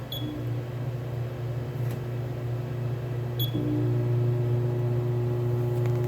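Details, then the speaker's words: Multi Chef oven blower motor in test mode: steady low electrical hum with faint higher tone, motor energized but not spinning. "so now I don't know if you could hear that I tried hard to let you hear it but it was humming you can hear calm if that motor is humming that means it's still working it wants to work"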